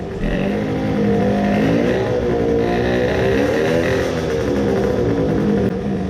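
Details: Tuned 20 hp two-stroke moped, crankcase filled with resin, now with coolant after idling 10 minutes to break in resin: about five revs, note wavers, revs drop faster than normal, labours, then seizes totally; owner suspects main bearings seized.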